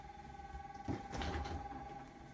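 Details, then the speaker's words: Brand-new Samsung RB31FERNDBC fridge freezer, just delivered and switched on, droning a steady loud high-pitched hum with a few knocks; owner suspects a fan with failed bearings or hitting something; unit being replaced. "so I had it on for a while and it didn't stop making this noise sounds like it has a fan in it and the bearings are gone or is hitting something"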